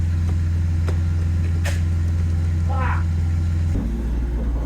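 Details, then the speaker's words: BMW E36 drift car, driven just after a lockout shifter install and fresh alignment: strong, steady, low drone that holds pitch under drive, loud over road noise; a very noisy differential whine. "The dip is [ __ ] noisy. It's very noisy."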